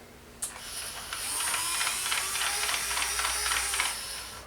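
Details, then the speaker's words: Replacement Hornby model railway turntable running after repair: light, even gear ticking at three or four clicks a second with nothing catching; turntable gear drive working smoothly. "okay and forward she goes then Perfect Look at that okay so it's working"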